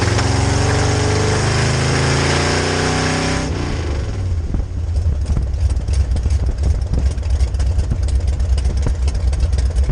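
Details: 1966 Chevy C10 rat rod with rebuilt carb on test drive: revs climb then fall abruptly into ragged chug under load; fuel pressure held at idle and cruise, but weak fuel pump can't keep carb bowls full, mimicking ignition problem.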